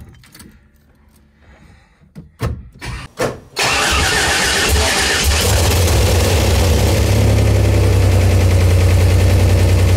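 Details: Buick Grand National new motor, first start before cam break-in: a short crank, it fires first shot and settles into a smooth, even idle with no knocks or misses; healthy, and no leaks were found.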